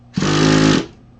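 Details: Traxxas T-Maxx 2.5 nitro engine without glow plug, after fitting a new hobby-store roller clutch: short harsh whirring burst with steady buzzing tone while it spins over; abnormal cranking noise, source unclear.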